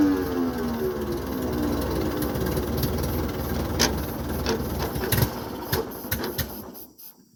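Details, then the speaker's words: 1950s Ford 8N tractor, converted to 12 volt, supposedly new carburetor cleaned twice: runs briefly with sagging, uneven revs, then dies; stalling from fuel starvation due to faulty carburetor, later fixed by fitting a new carb. "as you can see it's kind of wanting to run we're having a fuel issue we've been through the carb a couple times that's supposedly a new carb it looks nice inside but it just isn't wanting to work"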